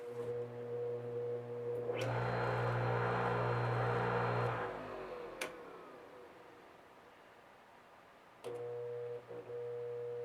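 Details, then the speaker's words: Old electric motor from a cleaning tool, after repair and cleaning: hums up to speed and coasts down, then a single sharp click as the spring-loaded centrifugal disc expands and switches off the start circuit. "You guys hear that click? That's that spring-loaded disc expanding. Once it expands, I guess it must click."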